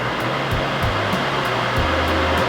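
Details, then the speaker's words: Vortex inline duct fan on a Speedster speed controller, switched from low to medium to full power: a steady, loud air rush with a low hum and no rattle, considerably louder at full than at medium; normal operation. "you can hear that at full power it's considerably louder than when you dim it down to medium."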